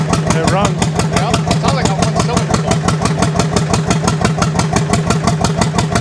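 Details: 1929 John Deere GP tractor, first fire-up attempt after restoration, choke just turned off: loud, slow pops at about three per second with a lopsided beat, as if only one cylinder fires; uneven running, dead cylinder suspected but not confirmed.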